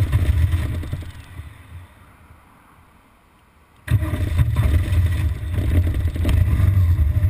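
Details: BMW R1200GS Adventure twin idles unevenly, dies to near silence, then abruptly fires back up; an intermittent stall and rough idle, typically after about 20 miles of fast A-road riding once in traffic.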